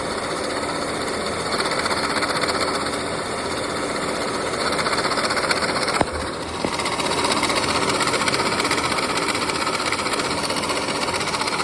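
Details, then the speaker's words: 2013 Mini Countryman 1.6 L petrol idling with a busy, loose rattle from the engine bay, customer complaint, traced to a worn belt tensioner; water pump and pulley also involved. "the engine had like a rattle noise and that was the customer complained that he heard like a rattling noise in the engine bay"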